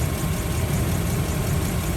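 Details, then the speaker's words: Toyota Kijang Krista 2.0 EFI petrol, manual, 2001, about 109,000 km: low, even idle with a steady murmur and no ticking or knocking on top. Engine idles smoothly. "mesin sudah injeksi injeksi model lama ya tidak helm sama sekali suaranya halus banget"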